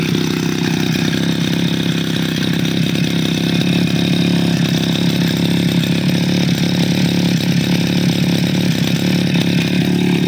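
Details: Two-stroke grass cutter idling after the faulty part was replaced and glued against leaks; ignition and carburetor checked OK. After a choke start with the choke opened slightly: a steady, even buzz with no surging, misfire or rattle. Running cleanly; fault cleared.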